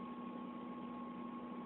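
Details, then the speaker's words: 1993 Mazda Miata, 141,705 miles, just after replacing original Denso fuel pump with Walbro for fuel delivery issues; quiet even idle with steady hum and faint pump whine, no stumbles, idling better than before. "okay let's see what happens here it's idling good which is better than it had been doing"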